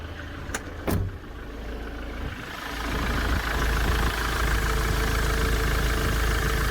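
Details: 2007 Ford Transit diesel after repair: after a couple of clicks it picks up and settles into a steady, even idle with no knock or rattle, battery light off, power steering working; normal idle.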